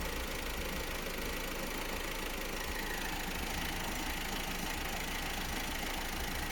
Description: Opel Astra J B16DTH with only 55.000 kilometers started making some strange noises and has the engine is working really strange